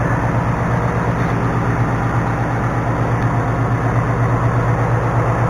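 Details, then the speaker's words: New 2019 Ford Mustang GT Performance Pack 1, 190 miles, on factory oil before first change: steady idle with fast, fairly even light top-end clatter about three beats a second; rattly, cause unknown. "You can hear that noisiness. Here's the pit in my buddy's garage. Tell you what, man, for having 190 miles on it, it's awfully rickety. Making a lot of rattling, especially right here."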